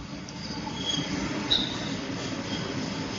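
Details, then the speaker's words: Sonofresco 2 lb gas coffee roaster in cool cycle after peaking at 212°, temperature falling: gas off, only blower fan cools the beans for another 5 to 6 minutes; steady airy whoosh with faint light squeaks, no burner roar, normal. "how this machine cools down is it will switch off the gas line on its own, and then it uses only the fan, that blower fan, that will cool down the beans."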